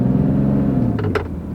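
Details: Jeep driving on the road: a low droning whine under the road rumble swells and fades, comes and goes, and is louder on deceleration; an intermittent automatic transmission whine that several mechanics could not diagnose.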